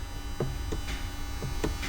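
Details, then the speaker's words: RB25 engine in a Z32, drive-by-wire throttle body: light clicks and clacks over steady electrical buzz as the plate moves; acting up, later found to be likely a bad engine-side ground. "but maybe you can hear it clicking or clacking, but it's definitely moving."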